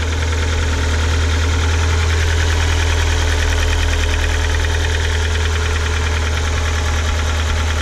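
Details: Ford Focus 1.6 engine before overhaul, heavy steady idle with hard knock about four times a second; head removed showed scratches on cylinder side walls, pistons slapping.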